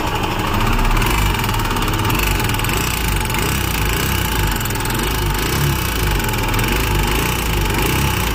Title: Himalyan bs6 engine noise problem